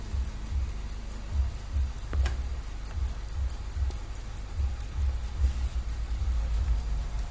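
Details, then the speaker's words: Philips 21-inch CRT TV, model 21PT5435/78, arriving dead with a burnt flyback smell: faint, evenly spaced high chirping ticks over a low hum, heard through the speaker, near the horizontal stage; a ceramic capacitor near the flyback was smoking, possibly failed. "como ela tá dendo aquele barulho lá no altofalante Possivelmente esse cara aqui não tá q"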